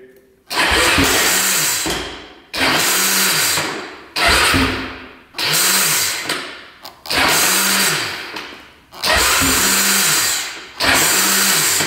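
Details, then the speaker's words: 2007 Honda TRX450 quad that had to be bump-started: short bursts of a high whirring starter that spins up and winds down without catching or turning the engine over; a slipping starter one-way bearing is suspected. "as you can see the starter just spins It's not catching at all so I'm thinking it's a one-way bearing"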